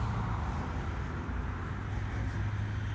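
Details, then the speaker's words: 1998 GMC Sierra fuel pump running on cleaner, now able to pump fuel: low, steady hum of constant pitch with no catching or grinding; the pump spins freely and sounds fairly healthy. "Sounds fairly healthy now. It's spinning."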